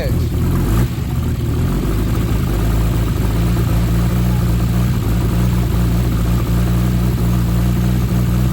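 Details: Nissan R33 Skyline with freshly built forged RB25DET, first start after engine install: uneven idle skipping beats with chuffing leak underneath; misfire, lifter tapping and a bad downpipe exhaust leak, owner hopes running in cures misfire and tapping.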